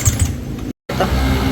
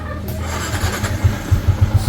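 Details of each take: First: Yamaha Sniper 150: light rapid ticking over the idle; no oil reaching the head so rockers and cam tap dry, with coolant contaminating the oil through a failed water pump seal. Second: Sniper 150 single-cylinder idling quietly after repair: top end had no oil reaching the head (blocked oil passage to cylinder head), coolant mixed in oil from failed water pump seal; rocker arm, cams, pin, lining, head gasket replaced. Even putt, no tapping; healthy idle.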